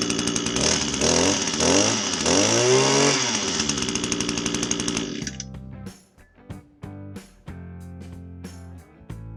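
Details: Echo string trimmer that wouldn't start or keep running with no power, after spark arrestor screen cleaning and fresh fuel: it revs up and down cleanly for about five seconds, holds throttle without stumbling, then shuts off; healthy.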